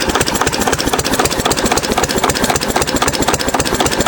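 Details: 6 HP Witte diesel running after about 30 years idle, following valve work, an oil change and a fuel system cleaning: a slow, even chuff of about four beats a second with no knocks or misses. Normal idle.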